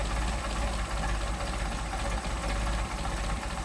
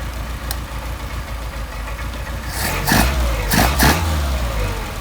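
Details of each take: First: Mercedes 190SL with freshly rebuilt Solex carburetors during carb testing, idle deliberately lowered from about 475–500 rpm to about 400 rpm: slow, steady low-pitched idle with even pulses and a slight lumpy shake, not lugging. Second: Mercedes 190SL with Solex carburetors, hot start after idle mixture adjustment, back to about 700 rpm: steady, even low idle with quick throttle blips returning cleanly, no wet throats; good set of carbs.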